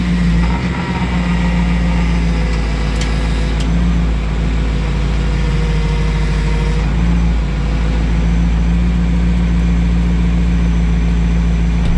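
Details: BMW E39 M5 idling with fresh power steering fluid while bleeding, wheel turned lock to lock several times. Smooth, even idle with no pump whine or groan: power steering operation is normal.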